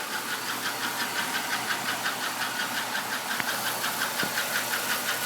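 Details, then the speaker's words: 1996 Buick Skylark 3100 SFI V6, near 150,000 miles, warm idle after 30 miles: steady sharp tick about three a second, started after switching to full synthetic oil; loudest near exhaust cover, owner suspects lifter tick. "Does seem to be coming from this side of the engine. I did feel around with the stethoscope and it's definitely coming from the engine itself."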